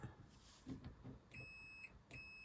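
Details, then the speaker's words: Vector SR48 RC car with faulty ESC, replacement motor tested with multimeter on continuity: clean steady high-pitched beep across motor leads; motor winding intact. "you can hear that so that's the winding in that motor is fine"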